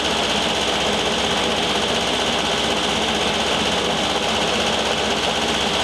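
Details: 1973 VW Thing Type 181 that sat for years, air-cooled engine running steadily: a fast, uneven rattling scrape rides over it. Owner feels something lodged in the cooling fan housing and plans to remove the belt.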